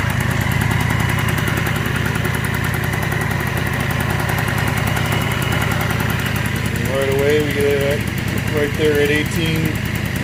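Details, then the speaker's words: 1987 Honda Elite 50 scooter (SE50 AF05E two-stroke) just fitted with a Malossi big bore kit, idle set around 1,800–2,000 rpm: steady fast burble, even idle, no knocks or misses, music briefly over it; normal idle. "it seems to like to run better at a little over 2,000 rpms so I figure there's going to be some differences with it between this and the old setup but I'll go ahead and well kick it on and you can hear out sounds"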